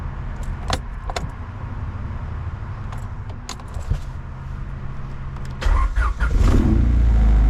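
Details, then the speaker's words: 1990 Honda CRX Si, first start after upgrade work including an Si gauge cluster: clicks and key handling, then the engine cranks, fires and quickly settles into an even idle; healthy start, it's alive. "Well guys, it's alive."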